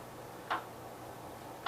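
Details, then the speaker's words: 1973 Gravely 810 after PTO clutch change, PTO clutch disengaged: two sharp light ticks about 1.2 s apart over faint low engine hum; suspected forward or reverse clutch bearing. "okay pretty sure that noise is the forward clutch bearing or reverse clutch bearing"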